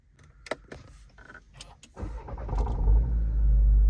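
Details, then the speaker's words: Volkswagen Virtus GT: starter cranks, engine catches with a rough rattling clatter as revs flare; owner reports strange 'kad kad kad' clattering every time the car is started, cause unknown. "गाड़ी जब भी on कर रहा हूँ मैं तो उसमें शोर आ रहा है अजीब सा, कड़ कड़ कड़ करके आवाज़ आ रही है।"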